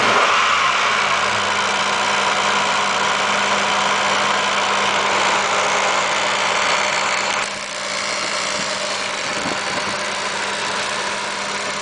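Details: 1986 Nissan 300ZX turbo at steady idle: fast, even ticking near four per second with a hissy buzz. Owner wonders if it comes from the AAC; cause unconfirmed.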